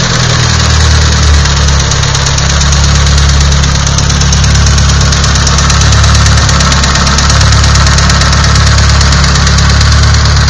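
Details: Nissan SR20DET at idle: heavy, rough idle with uneven low thumping running through it; knocking at idle, cause not identified.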